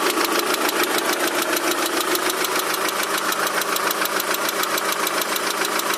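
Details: Daewoo Nexia 16-valve engine running: steady sharp knocking about three and a half per second, present both cold and hot; cause undetermined.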